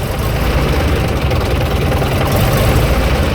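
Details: AEC Militant 6x6 artillery gun tractor, running again after bleeding the fuel system: big diesel chugging at a deep, steady idle with no misses or knocks; no smoke, no leaks, runs rather well.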